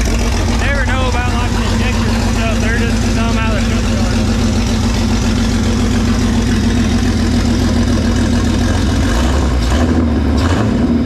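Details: Freshly built Jeep 4.0 inline-six from a ZJ Grand Cherokee, converted to a 00-01 XJ coil-pack engine, running on an engine stand at first fire: steady, even low drone with no knocks or ticks; running smoothly.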